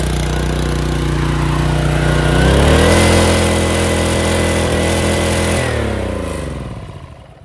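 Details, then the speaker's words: Pressure washer small engine, unused for over a year, governor suspected broken inside: spins up to a very high, steady screaming pitch with no throttle control, then dies down; engine over-revving. "I think the governor broke and it just revs really high and there's no throttle control to it"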